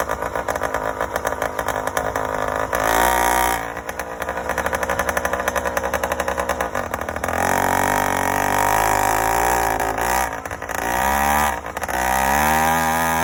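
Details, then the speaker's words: Yamaha YD100 two-stroke with Dio reed valve and 24mm OKO carburetor, choke on: burbles unevenly, skipping every other beat; four-stroking on a rich mixture; main jet change planned. "It definitely went faster and more responsive, but still four-stroking and way rich."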